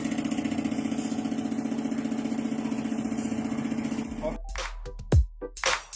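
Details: Mazda BT-50 diesel idling, brought in for stumbling acceleration and black smoke: steady diesel clatter with even pulses for about four seconds, then handling noises; engine settles into a smooth idle.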